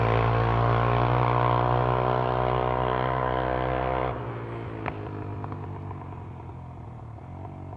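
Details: Honda 300EX single-cylinder on a test ride after a rebuild: pulls with an even beat, then the throttle drops off and it settles smoothly. Runs clean; normal running.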